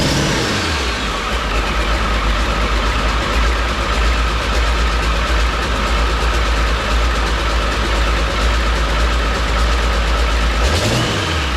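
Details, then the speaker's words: 7.3 Powerstroke diesel swapped into a 1951 Ford shoebox with standalone wiring, smoky, after struggling cranking: deep, steady diesel clatter and low rumble at idle, no stumbling; runs normally before wires are cut. "so it still runs we're going to cut some wires here and see if she still wants to start"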